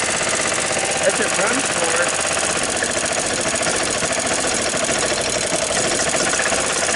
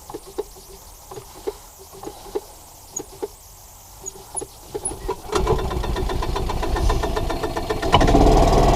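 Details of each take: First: 1993 Club Car Precedent golf cart, after sitting over six months, now started after spark plug cleaning: small single-cylinder engine chugging steadily with fast even beat, no misses; running fine. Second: 1993 Club Car golf cart engine after sitting 6+ months, carburetor cleaned and refitted; sharp uneven pops about four a second, then a louder lumpy run that never smooths. Rough running; owner suspects a vacuum leak.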